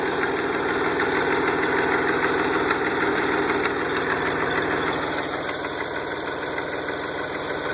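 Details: DeLorean VIN 4534 before an aftermarket exhaust kit was fitted: fast, evenly spaced ticking puffs, roughly three per second, over the idle, an exhaust leak.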